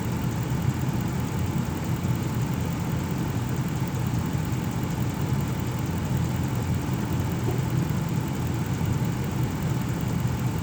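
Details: 2006 Ram 1500 4x4, 5.7L Hemi V8, warm idle after a Gates water pump replacement: steady, smooth low rumble with no ticking, squealing or surging throughout. Sounds healthy; thermostat cycling 190–208 °F, good coolant flow, air bled out.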